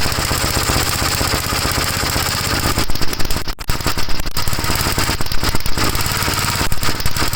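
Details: 1956 Gravely L single-cylinder on a cold start, hard to start, before head removal (carburetor ruled out): chugging that stumbles and surges unevenly after about three seconds with no steady rhythm. Rough running; cause unknown.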